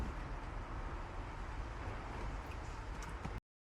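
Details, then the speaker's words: VW Golf 1 four-cylinder at cold idle after a full timing belt replacement and re-timing (timing found badly out): quiet, steady even hum, no misfire stumble, running on all four cylinders; small exhaust puffs the owner attributes to an exhaust manifold leak. Normal idle. "Là la ralenti hein. Au début elle est froid, c'est normal."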